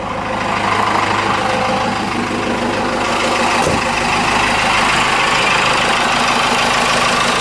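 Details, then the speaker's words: 4BT Cummins diesel just primed, starting issues: rough, uneven idle clatter with an occasional stumble; intermittent miss the owner says is unusually inconsistent, cause unconfirmed. "I've seen it comments miss before it it's not consistent like this"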